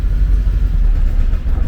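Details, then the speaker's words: 1979 Porsche 924 long in storage, battery fitted, fuel pump heard running; low, uneven rumble of an engine that just caught and struggles to keep running, owner suspects it may be out of gas. "i put the battery in everything comes on makes noises and it sort of runs"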